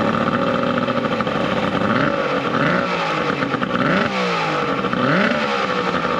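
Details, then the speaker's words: 70HP two-stroke Mercury outboard on a 1967 Duo boat, running on water hose ears with battery, not hot: idles rough then picks up cleanly through quick revs and settles, no knocks or misses; hard starting but runs very well once running. "honestly she's a little hard starting but once she's running she runs good like super good like scary good"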